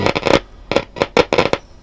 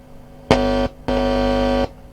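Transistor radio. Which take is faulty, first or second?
first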